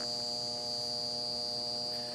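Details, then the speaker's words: Goodman condenser on a hot day, no-cooling call with outdoor fan not running: steady electrical hum with no fan or compressor running; compressor likely not in thermal overload; run capacitor found swollen, failed capacitor stalling the unit. "She was just humming. So hopefully the compressor has not went in thermo overload. At least it was just humming, so I don't think it has. So we should be good of possibly just changing out the capacitor, and it should fire right up."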